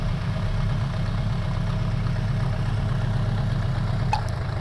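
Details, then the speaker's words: 2002 Suzuki Bandit 1200S four-cylinder after fixing a vacuum-port leak: low lumpy idle with an irregular pulse; cylinder number three not firing, sparking fine, number three carburetor most likely the problem. "yeah it's definitely number three i get a change on one two and four so number three carburetor most likely has got a problem so we are still down a cylinder"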